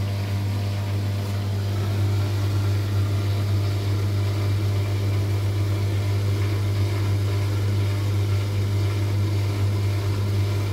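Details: LUX front-load washing machine that filled but whose drum would not turn in wash or spin, after a bolt (5 mm hex) was tightened and belt checked: steady low hum at one even pitch, no knocking or scraping; drum turning smoothly.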